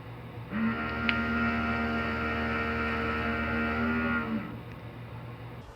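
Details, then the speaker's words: Heart Interface Freedom 10 inverter in a 1997 Fleetwood Discovery RV: loud steady electrical buzz cycling on for roughly 5–10 seconds then off, vibration felt through the bus, while charging works normally; traced to the dying internal cooling fan, fixed by replacing it. "buzzing on for like 5 to 10 seconds and then buzzing off and then buzzing on for 5 to 10 seconds and under further investigation it turned out to be the fan"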